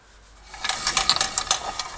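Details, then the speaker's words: Rear drum brake knock: rapid, uneven metallic clatter and knocking from the wheel; the shoe-retaining springs are broken and the handbrake shoe linings have come loose inside the drum, the drum is worn, and the handbrake is not working. "вот такой характерный звук ада машина это как правило шато по ручнику"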